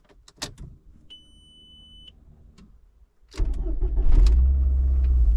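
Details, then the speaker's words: VW Golf Mk4 1.8T after replacing failed fuel pump with uprated APS 265 lph pump: low steady pump buzz during cranking, then engine catches and runs; pump primes properly and is quieter than the old one. "Oh, can actually hear it buzzing properly."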